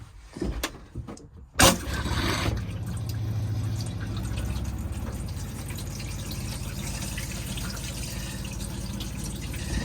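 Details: Elddis Majestic 155 motorhome cassette toilet flush, fed from the fresh-water header tank with no separate chemical tank: a click, then a steady rush of water into the bowl for several seconds; fills evenly, normal operation.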